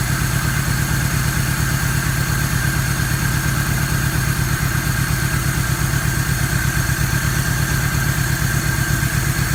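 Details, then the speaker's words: 1994 Toyota Tercel with low compression (cylinders 60 and 90 psi) after one Seafoam can: lumpy idle, uneven stumbling beat about three pulses a second; still misfires, compression loss suspected at top end. "I ran a can of seafoam through the intake and I got that up to 90 and now it actually idols and runs but as you can tell it's not high enough and still misfires"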